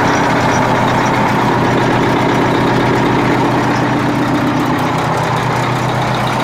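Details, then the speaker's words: Freightliner cabover with a Detroit diesel at idle, decent oil pressure: a steady low rumble with a faint rhythmic knock about four times a second. Possibly a rod or main bearing, injector knock, or the air compressor; absent in later starts. "Definitely knocking. I don't know if it was an injector knock or what."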